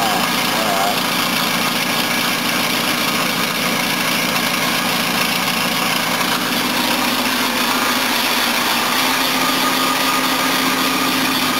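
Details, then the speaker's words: 1976 Mercedes-Benz W123 230 four-cylinder with carburetor, first look over at idle: chuffing exhaust leak, buzzing bracket rattle and faint belt squeal over the engine; noisy belts, exhaust leak and vibrating bracket. "okay that needs a little bit of work all the belts are noisy exhaust is leaking and one of the brackets is vibrating like a [ __ ]"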